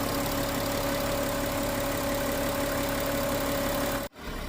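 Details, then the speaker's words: Volkswagen Touareg V6 TDI diesel after repair of no-start with P0087 fuel rail pressure code, engine light cleared, no more smoke: smooth even idle, steady hum, no knocks, misses or surging; running normally. "Ayan umaandar na siya nawala na yung kanyang pusok na napak pakal da nakap Ayan umaandar na yung ating makina yan at ito na siya ngayon Ayos v6 all"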